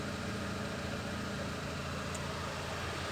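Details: Peugeot 206 air-conditioning blower fan behind the glovebox, engine idling: steady, even fan whoosh with no whistle or ticking after a small piece of plastic causing intermittent whistling was cleared; normal blower fan operation.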